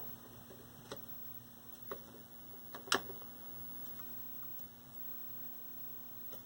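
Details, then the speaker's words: 1973 Toshiba C321 13-inch hybrid tube/transistor color TV after new tubes: faint sharp ticks about once a second over a quiet hum as the high voltage hunts trying to regulate. "The little tick noises that you hear are the high voltage trying to regulate."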